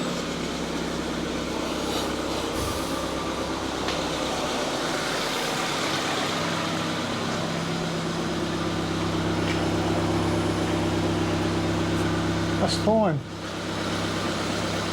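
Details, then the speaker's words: 2009 Ford Fiesta 1.2 petrol after rear exhaust silencer replacement: steady, even idle with low smooth exhaust note, no puffing, ticking or rattle; no exhaust leaks. "Can't feel any leaks or hear any leaks around there. I'd say job done."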